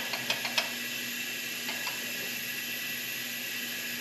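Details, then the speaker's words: Mini F150 truck with engine noise after hitting fence posts, engine not running: thin constant air hiss with light metal taps as air leaks past cylinder 1 intake valve even with rocker fully backed off and good lash; cylinder head issue. "I just backed off this rocker all the way for cylinder 1 intake, and it's still leaking through the intake, so clearly it's a cylinder head issue at this point, so there's not really much else to do."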